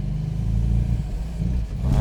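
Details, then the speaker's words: Supercharged MGB at operating temperature after supercharger camshaft, timing change and oil-leak fixes: deep, flat drone that sags instead of climbing under hard acceleration; still bogging down, owner suspects timing or pump jets, unconfirmed. "So, still bogging down under hard acceleration."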